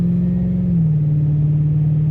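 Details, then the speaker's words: Ford Super Duty 5.4 3V after spark plug replacement and SCT X4 tune, normal acceleration: steady drone with quick clean upshifts through the first gears; owner suspects a corroded rear end for a separate whine. "nice quick shift through the first couple gears which is really nice driving around town it always feels powerful"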